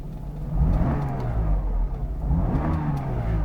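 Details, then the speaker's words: Mercedes W124 E280 six-door limousine, 81,159 miles, started without gas, oil pressure normal: two clean rev blips climbing and falling smoothly with no knocks, misses or rattles, a free-revving, healthy engine. "It's a free revving engine, as though you're driving a little sporty Alpha"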